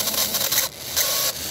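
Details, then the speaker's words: Model ball-bearing-axle chassis motor run on 12–17 V (17 V drawing 1 A): uneven high-pitched squeaks and chirps in bursts over the small motor's whir, clearing up around 12 V; dry bushing needing oil. "All right. I got to put some oil in there somewhere, it sounds like."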